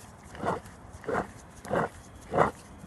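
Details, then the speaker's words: 2017 Ford Transit Custom van, driver-side driveshaft turned by hand giving a rough, gritty growl in bursts; a worn bearing caused noise at 70–80 mph. Wheel bearings were ruled out, and a new shaft was bought to replace it. "you can hear the noise that you find the fault it was in the diff it was the bearings here if you hear it so this bearing is"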